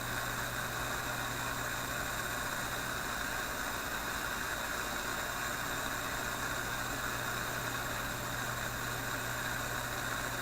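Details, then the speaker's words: Philips 922 vacuum tube radio, started cold after hours off, on current restriction with the line voltage at about 115–120 V. Even background hiss with a faint low hum and no static crashes or pops; steady reception, although the crackle later returned (IF capacitors suspected). "well I don't really hear those static crashes anymore Alison's pretty steady"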